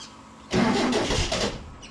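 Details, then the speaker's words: Baja being returned to the road, spark confirmed: about a second of cranking chuffs that never catch into a run; crank no-start from fuel starvation, all it needed was fuel. "And all it needed was fuel, mate. That's all it needed."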